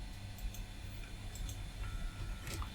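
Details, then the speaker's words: Old 286 PC hard drive (980 cylinders) at boot with multi-I/O card reinstalled: quiet spin-up hum with scattered light ticks and chatters of heads seeking; normal hard drive spin-up and seek. "I can hear it seeking as well. Listen to that. Glorious."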